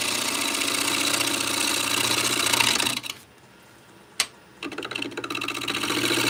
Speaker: We're getting into this gappy area. That's why it's making that noise again.